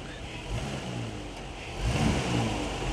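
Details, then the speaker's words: Dodge/Chrysler (300/Charger-type) engine revved in short throttle bumps on the brake and in reverse: dull thumps as the engine jumps up on a badly broken motor mount; mounts to be replaced in pairs. "it's trying to jump up out of there i go in reverse try to do it in reverse [Music] all right so that that side there all right this side here is really broken but we're going to do them in pairs"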